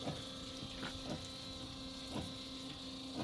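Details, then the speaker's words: Foam Husky 3 system on a Pierce Arrow XT fire engine, drafting foam from a bucket in fill mode (automatic fill shuts off when full): steady low motor hum with a soft thump about once a second, smooth pumping, no grinding; normal. "And as you can see, you can hear the motor pumping and it's starting to pump."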